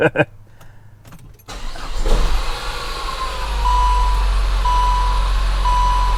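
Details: Saab 9-5 2.3 turbo after fitting a cheap Amazon MAF sensor; the previous MAF caused a sporadic, erratic idle. Engine cranks briefly, catches after about two seconds and settles into a steady, even idle with no hunting; starts and runs normally.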